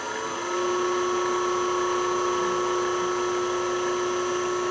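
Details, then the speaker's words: South Bend lathe motor on a newly installed VFD, heard at the motor's back: steady high-pitched electrical whine over smooth hum at constant speed; VFD-driven motor whine, improved after adjustment, now tolerable. "You can see, you can hear that whine. I've actually gone in and actually, it's a little better than it was. It's actually tolerable now."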